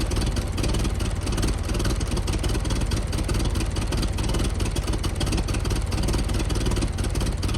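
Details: 1914 Buick, about 1,776 original miles, sat 85 years and now revived, fires after a few pulls: settles into a low, steady chugging rumble with no knocks or stumbles, a healthy even-running engine.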